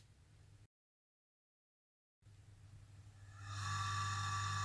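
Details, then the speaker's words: Colchester Chipmaster lathe three-phase coolant pump converted to single phase with a capacitor, restarted: hum builds slowly over a second before settling to a steady whir; sluggish start from an undersized capacitor, then runs okay. "it started up a bit slow because the capacitor is not the right capacity it should be a lot larger but it does run"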